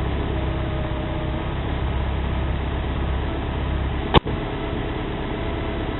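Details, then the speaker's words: Porsche 944 after a timing-belt job, with the AC-compressor/alternator serpentine belt removed: idles smoothly and steadily with one sharp click; it won't start with the belt on, cause still unknown. "okay you see the car started everything is okay here is i guess yeah everything is fine doesn't seem to have any problem whatsoever"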